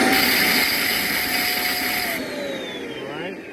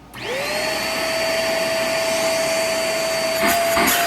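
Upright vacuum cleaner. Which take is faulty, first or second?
first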